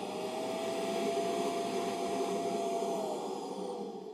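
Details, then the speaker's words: Kenmore Intuition Quiet Guard Super Swivel canister vacuum (116.29915900) with zero suction, clogged filters and bag: steady high motor whine with a rough grumbling undertone that fades on spin-down; worn motor bearings, though the motor still runs okay. "well it has those grumbly bearings that old kenmore's like to get but still sounds like it's running okay"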